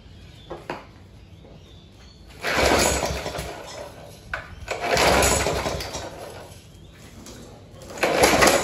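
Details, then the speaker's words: Rover 4-stroke walk-behind mower run without air filter: catches in rough bursts that swell and fade, never settling; surging, first thought to be weak governor spring tension. "all right so as you can see that was clearly surging there"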